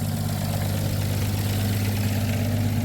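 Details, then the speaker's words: 1962 International B150 farm truck, first start after sitting years, idling on temporary fuel: low heavy idle with a puffing chuff each firing pulse from an exhaust leak at the front; not smoking, smooth. "An exhaust leak up front there. It's not smoking. And it is smooth."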